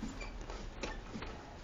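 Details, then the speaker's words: Honda Benly 110 scooter near 60,000 km that stalled while riding: faint irregular tick-tick clicks from the starter relay but the starter never spins, no crank; owner suspects starter motor failed from forced cranking, battery and fuse checked okay. "세루도 나갔는지 틱틱틱 소리만 나고 아예 안 되죠."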